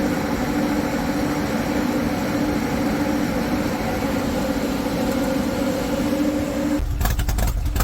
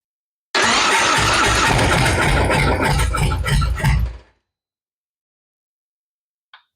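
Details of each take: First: High-mileage Harley-Davidson M8 V-twin with S&S 129 Power Plus kit, big injectors and kit cam, on dyno after tuning: steady, even drone, constant tone, no knocking or rattle, then a burst of noise; normal running, 136 hp, 154 ft-lb. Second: High-mileage Harley-Davidson V-twin that stopped running while being ridden, battery pretty flat, awaiting S&S Power Plus kit: starter cranks steadily about three turns a second for some three seconds but the engine never fires; cause not yet diagnosed.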